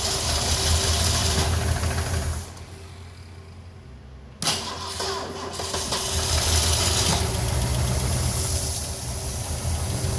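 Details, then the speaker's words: 1969 Ford Mustang Mach 1 with a 351 V8, first start after sitting for decades: catches after a pause and settles into an uneven, lumpy, surging idle; it needs a little more fuel. Rough running. "All right. Needs a little bit more fuel."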